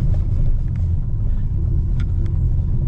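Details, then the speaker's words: Tata Altroz petrol after a major service, rolling to the roadside: only even road rumble, no front knock; the earlier front noise was fixed by tightening a loose shock absorber mount and replacing missing plastic clips underneath. "कोई आवाज नहीं है। नहीं तो front में वहां से आवाज आती थी।"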